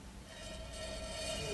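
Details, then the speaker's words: Old electromechanical power meter energized via plugged-in convenience outlet, hacksaw blade hung near volt coil: steady rattlesnake-like buzz at mains-hum pitch as the steel blade chatters in the coil's magnetic flux. Finding: steel blade buzzing from volt coil magnetic field. "You don't hear that buzzing like a rattlesnake? Well, that's a lot of flux being produced with that rascal."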